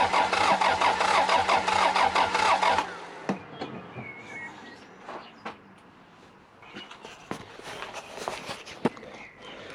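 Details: 3S-GTE Corolla unstarted for nearly two years, fresh semi-synthetic oil just added: about three seconds of rapid, even cranking, then it stops without firing.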